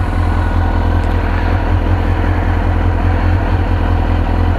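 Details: 2002 Suzuki GSXR 1000 after yearly fuel-system service (injectors pulled, rail and tank screen cleaned, racing fuel pump, new K&N air filter, airbox foam repaired): even, low-pitched idle with fast steady pulse, no misses or rattles; healthy.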